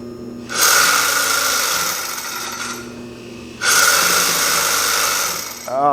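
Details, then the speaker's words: Used Consew 206RB industrial walking-foot sewing machine, freshly oiled, presser foot up, old clutch-style motor switched on: two harsh metallic grinding surges with shrill ringing as it spins up; horrible grinding. "that is a grading metallic noise. That's horrible."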